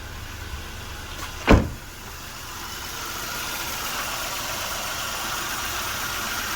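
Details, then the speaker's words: Nissan Almera 1.2 three-cylinder, previously stumbling, after injectors and spark plugs reinstalled: brief thump then smooth even idle with steady low drone, no stumble; normal idle. "เดินนิ่มเลยครับ"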